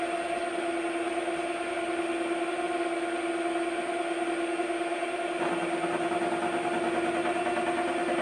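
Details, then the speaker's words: Schaublin lathe turning a variator shaft: steady cutting hum with thin singing tone that shifts and roughens partway — workpiece starting to vibrate, chatter onset. "You can hear it's trying to vibrate."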